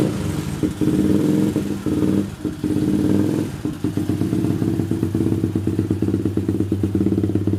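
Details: Yamaha Jupiter MX (old model) single-cylinder motorbike test-run right after replacing the clutch plates: a steady, even beat with a few throttle blips early on and no slipping or clatter; it sounds healthy.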